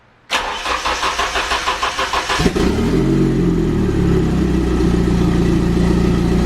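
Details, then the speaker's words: Nissan 240SX with a KA engine on a new Megasquirt standalone ECU, during the early tune with timing at about 15°: cranks, then catches into an uneven, shaky four-cylinder idle that never settles, running super rough. "that sounds like four cylinders that's four cylinders but uh it was super rough it was super rough and it had a lot of working that I needed to do and everything"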